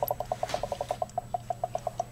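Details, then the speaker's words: Hot water mat boiler, 3 years old, refilling after descaling the clogged hose: fast light ticking trickle, about eight pulses a second over a faint steady hum, the normal sound of heated water being pumped and water drawn in as air bubbles escape. "뭔가 소리가 나죠? 또로로로로 이게 물 들어가는 소리예요. 뜨거운 물이 데펴지면서 이제 물을 뿜어주는 거죠."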